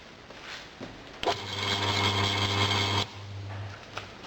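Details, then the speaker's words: Two-speed single-phase motor with the start windings paralleled to the slow-speed windings, turning anticlockwise: a smooth, steady low hum rises for a couple of seconds then stops, no knocks or rubbing, healthy. "now that shows me when I've connected it up that way it is turning anticlockwise now if I want to run the motor in the clockwise Direction I just reverse the two starter winding"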